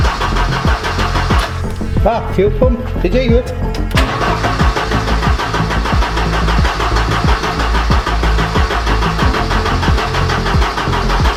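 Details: Abandoned Ford Sierra Sapphire RS Cosworth, not MOT'd since 2014, first start attempt with new fuel lines: starter churns steadily about ninety beats a minute, never fires; no fuel reaching engine.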